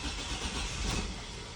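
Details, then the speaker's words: 2004 Chevy Silverado 4.3L RWD after a crank-no-start, cranked after the distributor cap was cleaned: brief starter churning with an uneven sputtering catch that never builds into a run; owner thinks it might be flooded. "Ooh. Kind of acted like it wanted to start there at the end. Ooh, that's better. It almost started."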